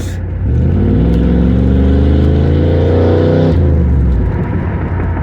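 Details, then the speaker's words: 1993–1997 Pontiac Firebird Trans Am V8 running on year-old gas after a bad MSD ignition box was bypassed for a crank/no-start; on a street drive it revs cleanly and settles smoothly with no misfire; healthy. "you can hear, my gas is still okay. Now that I got the Trans Am running, I'm just out playing on a back street."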